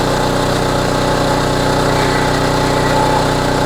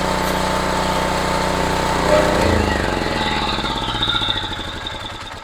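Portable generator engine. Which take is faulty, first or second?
second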